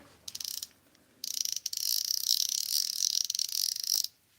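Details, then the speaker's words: Drag clicker added to a magnesium-frame Daiwa Steez baitcasting reel: crisp, rapid high-pitched clicking in short bursts then a steady run as the spool turns; working cleanly. "I'll be honest, the whatchamacallit is almost too loud, but I like that in a way. Some people may not."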